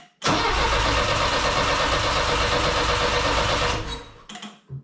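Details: Saab Sonett with the old failed distributor rotor refitted for an A/B test: the starter spins the engine evenly for about three and a half seconds with no firing at all. A bad rotor gives no spark, and the car runs great with a new one.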